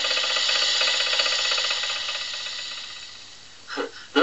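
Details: Demonstration engine recording from a vintage instructional record on engine noises, played on an old record player: sharp, regular knocking about four per second, fading as the engine slows; big end bearing knock.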